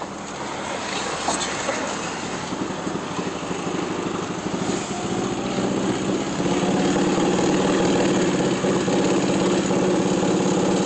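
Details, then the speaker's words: 1982 Volkswagen Vanagon Westfalia on road test, under throttle the note turns raspy with a chuffing puff growing with load; hole in the exhaust, engine also misses occasionally. "So I'm accelerating. I'm pushing quite a bit on the gas, so you hear a little bit better sound, or more sound than when you're not accelerating. But that's like I said, a hole in the exhaust."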